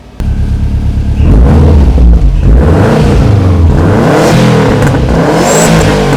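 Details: Subaru Forester after an accident, revved shortly after a cold start: the engine picks up cleanly from idle and holds a strong, even rev with a smooth exhaust note, no knocks or rattles. Sounds healthy.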